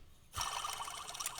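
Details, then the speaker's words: Nissan VQ37 engine (Infiniti G37), engine off, pulley spun by hand: dry, gritty rattle and ticking from a loose, worn idler pulley bearing, with every pulley loose; bearings to be replaced. "That's not gonna hold up, I guess. The previous owner can't have made a service on this before. Every pulley is kind of loose."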